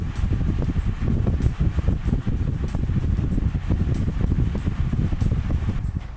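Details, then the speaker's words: Honeywell 16" double-blade pedestal stand fan (HSF1640), new after assembly, on first speed, camera a few feet away: steady low whoosh of air with gusty rumble on the mic, no ticking or rubbing; the fan is running normally. "I'm gonna turn it on first the first feed can you tell us how much noise it makes"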